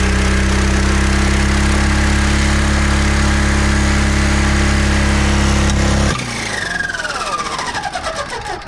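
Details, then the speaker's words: Oil-starved scrap engine restarted with governor pulled: steady low drone, then cuts off abruptly and winds down fast as it lets go internally; boiling oil, owner thinks both rods broke, zero compression, nothing external. "I think the both rods broke. Zero compression."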